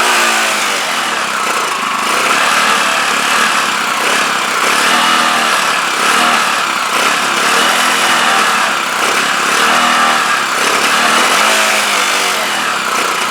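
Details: CPI SUV125 scooter just after carb strip, clean and rebuild, run outside with choke held up; small single revs unevenly with surging, hunting, stumbling note; still not right, cause not found.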